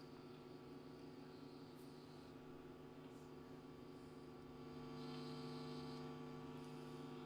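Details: National Panasonic RF-7270 radio set to AM with the aerial not yet properly connected: quiet steady low buzzy hum with no station or voice; cause unconfirmed.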